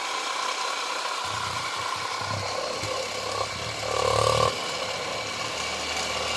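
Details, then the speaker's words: 1970 Zelmer 01 vacuum cleaner's East German type 1004.2/5 motor from Suhl, run on a 24V transformer before disassembly and cleaning: slow low whir, rough rattle and light scraping from worn bearings and fan rubbing the housing. "And the motor works, although you can hear the bearings and the turbines rubbing the housing a bit, but that's a good sign anyway."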